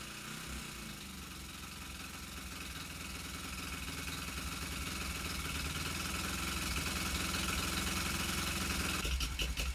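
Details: Suzuki GS450 cafe racer after clutch rebuild for plates stuck so clutch wouldn't disengage: twin idles with an even beat that builds gently as it warms, no clutch rattle or drag noise; runs healthy.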